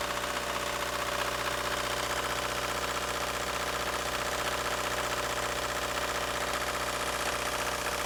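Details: 1999 Ford Focus 1.6i Zetec petrol at idle: harsh even clatter about four times a second, sounding like a diesel; something knocking inside the engine.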